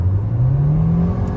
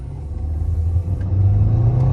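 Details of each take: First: 2013 Nissan Altima CVT after adding transmission fluid to cure a whine, driving hard on a 60 mph road: deep engine drone rising smoothly, no whine; transmission sounds healthy. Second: 2013 Nissan Altima accelerating hard: low drone climbing in pitch with a thin whine from the transmission; owner attributes it to low fluid, bucking problem not yet recreated.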